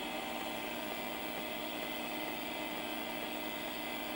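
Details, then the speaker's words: Mid-1980s LaPine Titan 3.5-inch mobile hard drive, after stuck internals freed, formatting: quick even head ticking over spindle hum with no scraping or stalls; normal head seek ticking. "i really think it just had some internals that were stuck it sounded horrible i mean but now it sounds nice ticking away formatting"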